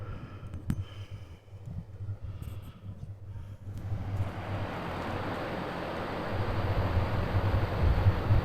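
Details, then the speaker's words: New mini-split heat pump installed on a camper, set to heat on a cool day, outdoor unit just started: low even hum and soft fan rush under wind, no knocks or rattles; very quiet, quieter than the factory rooftop unit. "And I don't have a decibel meter or anything like that, but it is not loud at all. I mean, you hear the dogs barking next door louder over top of this thing. So the outside unit's really, really quiet."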